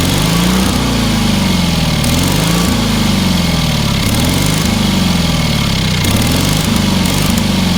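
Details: Small single-cylinder engine on a trailer-mounted cherry picker man lift, half throttle, water found in the oil and corroded intake: loud steady putter with gentle rhythmic surge every second or so, holding speed strongly; normal running.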